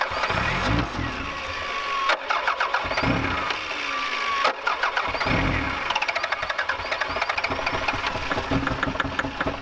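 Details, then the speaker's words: Starter whirs in repeated bursts, engine turning over rhythmically but never firing; owner suspects a failing fuse or relay in ignition, possibly bad fuel, fuel pump not heard. "the ignition's not firing cuz I did try to start it up a little while ago and it was working but now it's just not even firing so there's a fuse or Reay or something going bad"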